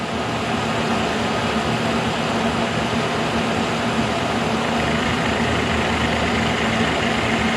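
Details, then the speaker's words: K&T mill first cuts on mild steel with a resharpened endmill, power feed on, cold morning in the 20s, head not trammed: smooth continuous rushing cut, no chatter, squeal or knocking; normal milling cut. "look at that no problem man I can barely even hear it I haven't trammed this head or anything just assuming it was fairly close"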